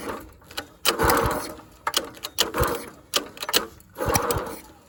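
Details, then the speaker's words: Dumpster-found go-kart engine, partly disassembled, missing valve-cover parts, not connected to anything, refueled: pull-start attempts give short sputtering bursts with sharp backfire pops, dying between pulls; owner suspects wrong timing. "It's backfiring. I feel like timing is wrong."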